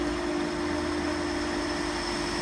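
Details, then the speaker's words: Pool pump starting up after Hayward cartridge filter cleaning: a steady airy hiss over an even pump hum as air bleeds out of the filter while the pump primes, then water flows in; normal. "can hear air hissing out of here. There the pump is starting to prime."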